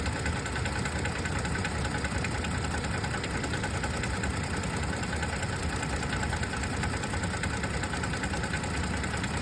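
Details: 2022 Toyota Tacoma, 12k miles, idling: loose, fast tapping engine knock/tap of two or three taps a second under the steady idle; going to dealer for diagnosis and warranty repair.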